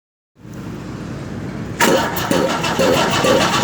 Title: Ford Cargo Engine Start After Rebuild #diesel